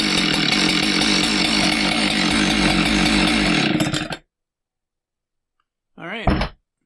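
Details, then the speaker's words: Husqvarna 372XP chainsaw revving hard with a loose metallic rattle under the exhaust note before shutting off, smoking a little. "It was here because it was making a distinctive noise. And obviously this noise isn't something the customer had heard before because he heard it and brought it in."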